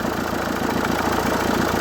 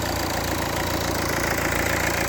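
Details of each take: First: Renault 1.5 dCi K9K diesel at idle, with a rough, rattly whirring layered over the firing beat. Worn idler or tensioner pulleys, which are then replaced with new ones. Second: Renault 1.5 dCi K9K diesel after parts replaced during engine-noise diagnosis: steady, even diesel clatter at idle with no squeal, knock or rattle on top; engine sounds healthy, normal idle.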